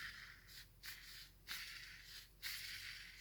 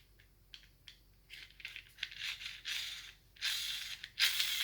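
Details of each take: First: Gel blaster (SCAR) gearbox, halves together, spur gear with bearings spun by finger during shimming: soft airy whirring bursts, and the gear is not rubbing on the bearing housing. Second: Gel blaster gearbox halves assembled, spur gear spun by finger: dry raspy whirring with faint scraping where the gear still touches; incorrect shimming, fixed by moving a 0.1 shim to the other side.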